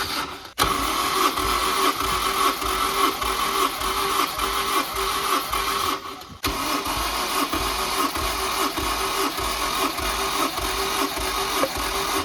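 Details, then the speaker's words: Honda S2000 (AP2), nearly 190,000 miles, during compression test: even, steady cranking beats with no light strokes; solid compression across cylinders. "Solid compression numbers for an almost 190,000 mile Honda motor."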